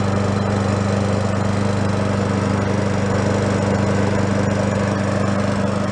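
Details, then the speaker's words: Free yard-sale Craftsman mower, about ten minutes after checking crankcase oil at just above the high mark: steady, even drone with a constant low hum, no misses or surging. It is burning off oil on the muffler. Normal running. "that's about ten minutes later and it seems like it's pretty much good except for what like I said the muffler was gonna be contaminated with Nick"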